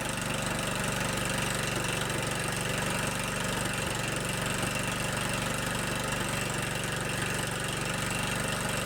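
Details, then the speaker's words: 15 hp Kohler Command engine on a Scotts lawn tractor, started on a cold morning, now idling with a steady, even thump around four beats a second, no misses or knocks; runs pretty good after clearing out. "like kitten it runs pretty good it just needed to clear out a little bit"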